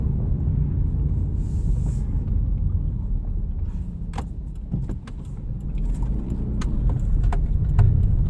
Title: Impreza TS no power/misfiring (warm)